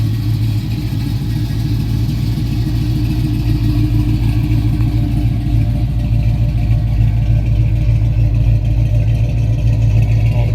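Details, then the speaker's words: Fully restored 1968 Dodge Charger R/T, 440 big-block V8, manual, heard at the rear near the exhaust; deep even burble with steady pulses, no misfires or rough running, no smoke, oil, coolant or rich smell; engine running perfectly. "I hate to talk over this beautiful noise of this exhaust. You can hear that I don't hear any misfires or rough running. There's no smell of any smoke or oil."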